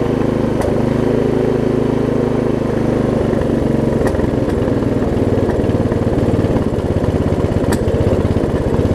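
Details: Lowe's riding mower single-cylinder engine, after battery conversion and ignition fixes, running loud and uneven with sharp pops every few seconds, rough-running and backfiring; owner suspects tight throttle linkage, no governor seen.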